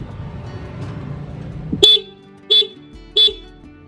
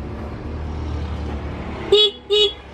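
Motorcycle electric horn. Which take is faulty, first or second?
second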